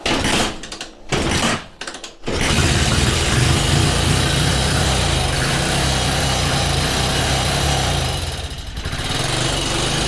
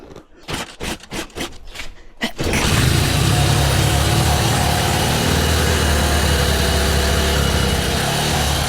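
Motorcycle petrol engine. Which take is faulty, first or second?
second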